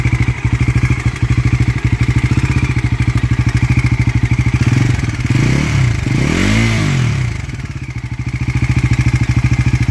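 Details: Bajaj Pulsar NS400 engine ticking: light, quick tick-tick rides on the idle, keeps going through a short rev blip and settles back.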